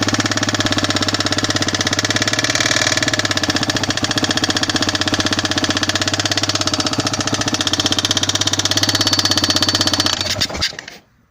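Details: Yamaha XT 600 (2KF) single: starts fairly easily but sharp, loud metallic ticking at idle, about three per second, from the top end, plus oil consumption; owner suspects worn piston, among other things.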